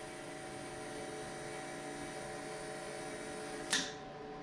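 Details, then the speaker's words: Rebuilt Holley 1050 Dominator carburetor setup with the key turned on: a quiet, even electric hum of constant pitch with no surging, then a sharp click near the end as the bowls fill. Electric fuel pump running normally. "turn on our key and seat I hear it filling"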